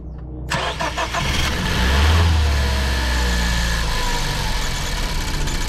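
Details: 2014 Ford Focus, over 200,000 miles, with bad idle and unresponsive throttle, starting after new spark plugs: cranks, catches, flares up, then settles into an idle whose loudness sways rather than holding steady; idle still not smooth.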